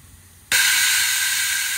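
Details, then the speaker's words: Air Lift Ultimate 5000 rear air bags on a Ram 1500 with Wireless One compressor venting from 25 down to 15 psi: sudden steady hiss of air holding evenly; normal air suspension deflation, system working. "can hear it letting the air out so now we're sitting at 15 so looks like this is working"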